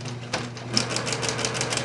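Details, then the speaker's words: Older Singer 6268 sewing machine embroidering from a cartridge via foot pedal: quick light clacking ticks over low hum as the feed-dog-driven embroidery unit steps back and forth; normal operation. "And as you can see, you can hear the little clacking. This unit is all ran by the"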